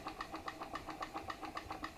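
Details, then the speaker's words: PM Research glass Stirling engine (Solar Engine #7) dropped back onto a model Baker fan: light even mechanical ticking about seven beats a second, no misses, working away under load; normal running. "i honestly god how good does that sound for us down the engine"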